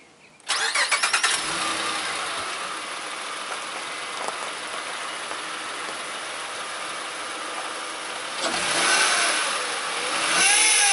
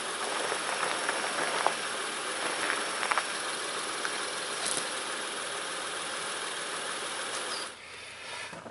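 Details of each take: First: 2006 Honda Ridgeline RTL: engine cranks, catches and settles to idle, then a faint wavering whine rises; failing power steering pump, steering very heavy once warm, before pump replacement. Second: 2006 Honda Ridgeline RTL, engine at idle right after a DIY power steering pump replacement, fluid slightly over the full mark: steady even idle with a smooth hiss, no whine or groan from the new pump; steering turns easily, all healthy.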